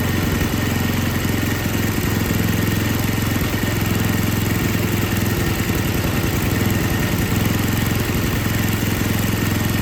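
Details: Older MTD Yard Machines snow blower with Tecumseh 5 hp engine, after carburetor rebuild on a no-start: steady, even single-cylinder putter at settled speed, no misses or surging; running normally.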